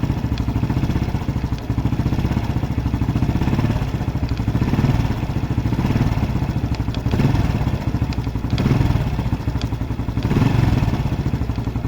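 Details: Honda Biz 125 or 110 scooter: steady single-cylinder idle with a fast, even "tec tec" tapping that stays constant with engine speed. Engine ticking, cause unknown.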